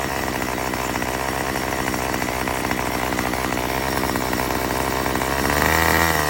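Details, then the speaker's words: Murray M2500 two-stroke trimmer after new carburetor kit and fuel lines: steady high-rev buzz that sags and wavers instead of climbing cleanly; still bogs, owner suspects mixture adjustment needed; lean high-speed mixture bog. "So guys, that was very amazing, but it's still bogged. So I actually wonder if it's just the mixing that we have to do, which it does come with the tool that we can do."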